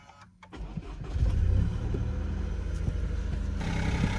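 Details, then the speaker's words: Freshly started, cold car engine catches and settles into a raised, even cold idle with faint light ticking from the top of the engine, louder than when warm; normal cold-start behaviour. "Warum nagelt ein Auto wenn man es frisch startet, warum hebt er die Drehzahl an, warum ist er sogar lauter als später im Fahrbetrieb."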